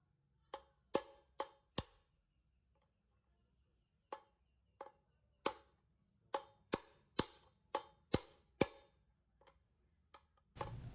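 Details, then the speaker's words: Motorcycle front wheel bearing (Vario 150/Beat type) driven in with hammer on a size 24 wrench: sharp, clear metallic iron-like rings from uneven taps, each dying quickly, showing the bearing is fully seated. "wenn es wie Eisen klingt, ist es ein Zeichen dafür, dass es richtig ist, also musst du es treffen, du musst fühl es, nicht nur schlagen, es wird vergebens sein"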